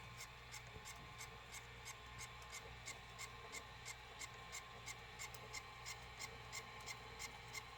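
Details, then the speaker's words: Sony SLV-575UC VHS VCR playing a tape: evenly spaced scratchy ticks, about three a second, over a faint running hum. Caused by a bent pinch roller shaft; the noise stops when the roller is pushed inward and worsens when pushed the opposite way. "c c c c c this it's coming from here this pin shoulder sha now watch when I when I'm pushing inside towards this pinch roller gone if I push opposite side get worst we have bed shaft here"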